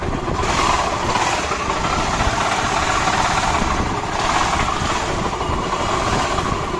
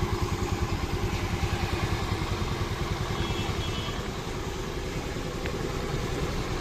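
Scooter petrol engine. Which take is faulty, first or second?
first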